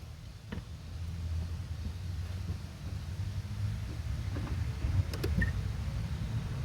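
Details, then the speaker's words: 2014 Ford Focus automatic, clutch actuator motors cycling at ignition on/off self-check before replacement; quiet hum with short gritty, crunchy clicks where they should run smooth, so the clutch actuator motors are worn. "so as you can tell that sounded a little crunchy hopefully you could hear it pretty well but it sounds pretty crunchy it should be smooth"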